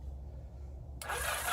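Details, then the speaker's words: 1981 Yamaha XS850 Special with previously seized engine, after Marvel Mystery Oil, spark plugs out, in neutral: starter spins the engine fast and even with no compression pulses; engine now turns over freely. "do you hear that you hear that guys that means that mode is broke free now now granted i don't have the plugs in so of course there's not going to be any compression but that worked"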